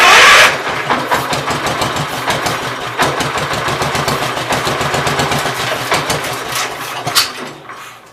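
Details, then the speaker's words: Gravely 810 revived, started on carb cleaner: cranks and fires, chugs with a slightly ragged beat, no heavy knocking or smoking, then dies away. "That sounds decent. It's not smoking or knocking like crazy. So I'll call that a win."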